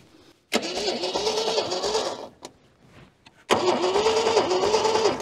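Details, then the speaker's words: Junkyard Holden that sat for decades, crank attempt with the key accidentally left off: two long bursts of even starter cranking with a rising whine and no firing. The carb accelerator pump isn't working and fuel is flooding in, so the engine looks flooded. "Better turn the key back on, hadn't I? Oh, that might help."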